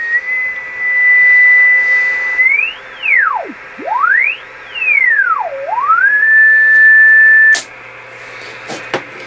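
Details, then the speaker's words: Heathkit Apache TX-1 vintage AM transmitter, first power-up before recapping, in transmit mode on 20 m heard on receiver at 14.250: whistle sweeps as VFO tuned, then holds steady; VFO and mixer working, dial about 25 kHz off. "So it sounds like our mixing scheme is working also. So we verify that the VFO is working."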